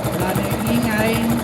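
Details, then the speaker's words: TVS XL moped engine after reconditioning with new oil, new asbestos and a new nut: a steady, even idle putter with no tapping or rattle. "Kasi may bagong asbestos. Bagong nut. Na po yung tunog niya ngayon."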